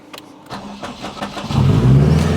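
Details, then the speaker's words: Honda Civic Type R FK8 AWD build with turbo: starter grinds with uneven, clattery bursts for about a second before the engine catches and settles; abnormal starter cranking noise heard intermittently, roughly 20% of the time. "starter kind of sounds like about 20 of the time I guess"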